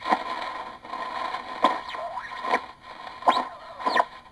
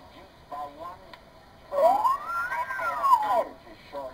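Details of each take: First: Morgan One Tube regenerative children's project receiver; sharp squeals and whistles snap in abruptly as regeneration control is turned, sliding in pitch; regeneration onset too harsh, worse at higher frequencies such as 80 meters. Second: Improved Morgan one-tube regenerative receiver, hand-wound choke replaced by a store-bought choke, tuning a weak broadcast-band station: clean whistle glides smoothly up and down with no squeals or jumps; regeneration control stable.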